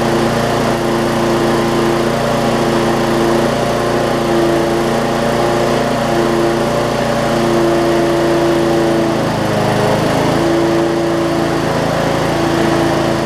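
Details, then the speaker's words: Bolens push mower with Briggs & Stratton engine, no-start from bad fuel: runs with a steady high buzz and slight pitch hunting; owner suspects a little water left in the tank and plans to remove the tank. "well we know that one run like I said I think there's just a little bit of water on the tank which I can probably dilute some with some gas"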